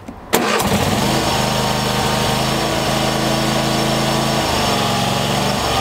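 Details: Troy-Bilt lawn tractor engine after cable readjusted to about 1/8 play, fixing hard starting: catches within half a second and settles into a steady, even idle, no stumbling or surging; normal start.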